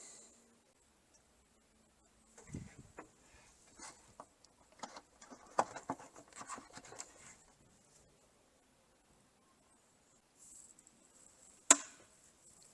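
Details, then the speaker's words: Surge protector on a newly installed 30 amp 120 V TT-30R RV outlet reads 122 V with code E0, then a crisp relay click after quiet rustling as power passes through normally, ready to plug in a 2024 Thor Compass RV. "There we just heard the click, and now there's power to the cord, so now we can plug the RV in."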